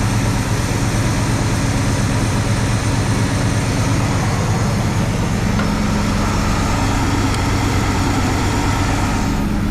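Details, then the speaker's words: 1974 International pickup that sat for years, after idle screws were pulled and carb cleaner sprayed through: steady, slightly uneven idle only with choke wide open, smoother than before, no knocks; carburetor rebuild suspected. "still got to have the choke wide open she is smoother though"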